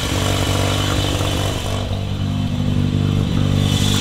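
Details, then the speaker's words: Car driven hard on a mountain road: loose irregular rattle over the exhaust note; occupants suspect an exhaust leak, not confirmed. "Rattling. Does it sound like an exhaust leak?"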